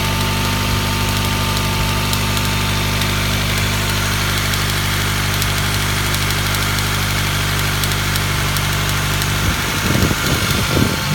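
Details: Honda Prelude H23 petrol engine at idle: a light, fairly quick ticking riding over the steady engine hum.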